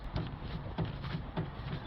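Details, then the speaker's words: Land Rover Freelander clunking over rough terrain when the car rocks side to side: car rocked by hand gives dull low clunks about every 0.6 seconds, side unclear; worn front track rod end ball joint. "so if we rock the car like that you can hear sort of a clunk coming from I'm not sure what side or maybe both sides"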